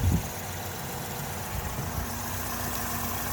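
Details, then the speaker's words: 2008 Chevy Malibu LS, 2.4 liter 4-cylinder Ecotec, hood open: smooth even idle with steady low hum, no knocks or ticks; been running good. "Been running good. Nice little 2.4 liter 4-cylinder Ecotech engine."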